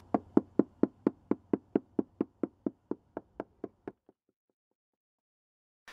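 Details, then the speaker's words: Mallet tapped an inch or two at a time across the fiberglass deck of a 45-foot sailboat whose teak decking caused leaks; duller, hollow-sounding taps mark core delamination, with tone also varying near edges and bulkheads. "a bad section will sound Hollow you can hear the difference here"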